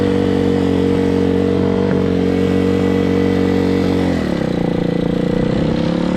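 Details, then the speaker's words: Hawk 250cc motorcycle: holds a high steady roar with no throttle input, then dips slightly. High idle, engine racing as if wide open; won't run with choke on or off, carburetor issue suspected. "We got carburetor issues though. It won't run with the choke on, off. So, you can hear it, it's running wide open."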